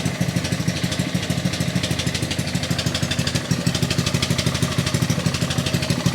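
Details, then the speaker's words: Trash-picked 2018 Ryobi RY80940B pressure washer with Honda GCV190 engine, first pull-start on choke: runs unevenly at about three beats a second, lumpy and hunting; carburettor problems suspected, with a carb cleaning planned. "I think we have some carburation issues"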